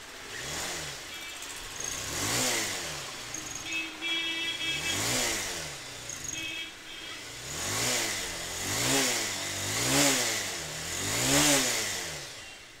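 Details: Bajaj Pulsar 220 BS6 that was showing fault code P0107, run after the throttle position sensor was replaced. The check light is now gone. Repeated throttle blips rise and fall smoothly with no stumble, and pickup is restored; it sounds healthy.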